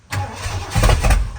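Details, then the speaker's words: Project truck with a straight pipe, newly rewired, with spark and the check engine light on. No fuel pump is heard. It cranks, catches with loud pops, then dies; it fires on spark but has a fuel delivery problem, suspected fuel pump. "We got no fuel pump. We don't hear a fuel pump or nothing."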